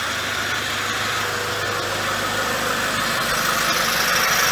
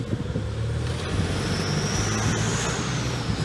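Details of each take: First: 2006 Toyota Hilux, 1KD-FTV diesel fully rebuilt after seizing: steady even idle with smooth airy hiss, no knocks or rattles; healthy. Later on a drive a turbo noise is noted; rotating assembly was not touched. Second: 2006 Toyota Hilux manual, 1KD-FTV diesel freshly rebuilt, driving: faint high whistle climbing as the truck pulls under diesel drone and road noise; worn turbo noise, unrelated to the engine rebuild; owner says it won't stop him driving.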